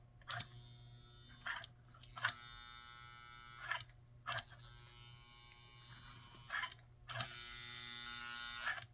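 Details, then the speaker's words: 1952 342 Nickel Plate tender reverse unit after installing new top and bottom fingers: small motor buzzes in short even bursts with sharp clicks as the drum turns and makes contact; reverse unit cycling normally. "if it clicks it the drum turns over is making contact"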